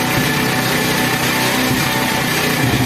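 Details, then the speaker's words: Honda 70 motorcycle, adjusting the carburetor mixture (petrol) screw at idle, tightened fully then loosened to where the engine sounds loudest; single cylinder idles steadily with crisp even beat shifting slightly as mixture changes; normal idle. "अब जहां पर सबसे ज्यादा आवाज आ रही है वहां में छोड़ देना पहले करना है पूरा टाइट इसको उसको बाद ऐसे से करना है लूज जहां पे हमें आवाज सबसे ज्यादा आ रही है वहां प छोड़ देना है"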